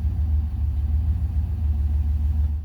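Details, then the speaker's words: 1972 Rover 3500 P6, 3.5 litre aluminium V8 after 6–10 years sitting, hot restart on old oil: deep even idle rumble, no ticks, knocks or misses, oil pressure near 30 hot in park; runs quietly and well. "We started it up, it runs beautifully, has good oil pressure, it's nice and quiet, it goes into gear, and it drove out here."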